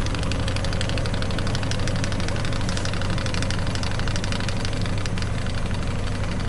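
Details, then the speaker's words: Ford F350 Crew Cab utility-bed camper engine at idle, checked with a VCM II scan tool on the OBD port; the tool shows a missing cylinder, which the owner assumes is number two, not producing much power. Uneven, loping idle with a regular stumble: dead-cylinder misfire. "my number two cylinder I assume that that is the one that's not producing much power"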